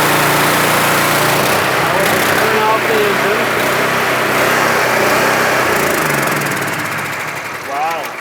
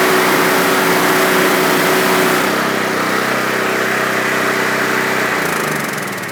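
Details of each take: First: Gas-engine pressure washer with a 4.3 gallon-a-minute pump, being diagnosed for low pressure (over 1,000 psi low even with a new number 4 nozzle). Steady small-engine drone with an even pump beat of about four pulses a second, running smoothly and fading near the end. Normal running. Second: Underperforming pressure washer pump, still about 1,000 psi low even with a new number 4 nozzle: small engine's steady buzz sags and bogs when the trigger is pulled; little bypass noticed.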